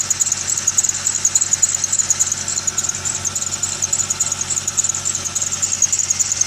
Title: Video of squeel/chirp noise